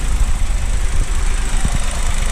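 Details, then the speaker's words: 2023 Chevrolet Onix LT turbo manual, cold idle after first morning start, hood open: low rumble with sharp knocks when the brake pedal is pressed. Mechanic called it normal; owner suspects a brake-related problem, cause unknown. "Pessoal, esse barulho é quando o carro tá frio. Aí pisa no freio."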